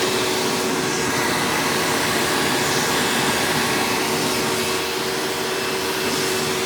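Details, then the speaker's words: 1997 Hoover Dirt Finder Power Drive U6331-930 self-propelled upright vacuum, direct-air machine, running in tool mode with the onboard hose attached: smooth even rushing air and steady motor hum, no rattles or pitch wobble; normal vacuum motor operation. "so man this vacuum is such a smooth runner honestly is better than even my red power drive supreme"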